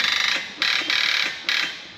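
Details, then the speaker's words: Heavy-equipment machine whose starter is reportedly stuck on: harsh, high-pitched electric buzzing in repeated bursts, each with a fast rattling pulse. The battery still had 12 volts; wiring issues are suspected but not confirmed. "it's a taser is it that's what it sounds like supposedly the starter stuck on it they said"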